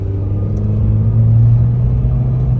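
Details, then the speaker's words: VW Beetle 2.0 with 01M automatic, after a faulty TCU was found as the cause (following swapped transmissions, solenoids, valve bodies, ribbon cables, torque converter) and no fault codes; test drive shifts smoothly, steady low engine drone, no flare, slip or thump. "Third gear. Fourth gear. Oh my goodness. This feel feels so smooth, man. So smooth."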